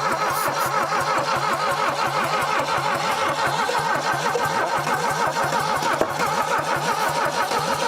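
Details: 1968 SAAB abandoned for decades in Texas woods: steady sluggish starter chug about three beats a second, no catch or firing.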